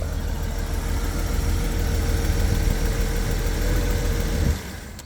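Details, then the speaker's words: 1991 BMW 750iL V12 with a low, lumpy idle that is still slow to rev. Owner suspects it is running on one bank only; the mass airflow sensors were already swapped from a good car, so the coil is suspected next. "Yeah, it's still pretty slow to rev up. So I still think that we're on one bank."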